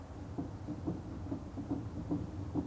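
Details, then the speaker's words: Front wheel of a lowered 1950 Chevy 3600 being rocked by hand. Dull, regular clunks about twice a second with no grinding reveal up-down and side-to-side play in the hub. The bearing has little drag, so it will probably be reset after pulling the cotter pin. "There's some movement in this hub. And I remember setting the wheel bearings, but it doesn't seem like there's much drag on it."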